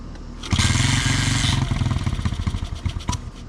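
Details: Honda CT70 with swapped manual engine, first fire-up in neutral: single pops and stumbles unevenly about four beats a second, no steady idle; unknown sound, owner suspects it needs bigger jets.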